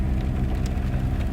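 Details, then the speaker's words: Freshly installed engine in a 2001 Ford ZX2 on a cold start: low, steady drone with an uneven, bouncing idle. Also dies when slowing from fourth or fifth gear and smells strongly of gas; owner suspects a vacuum leak. "uh like I said it's just doing kind of like a bouncing Idol right now"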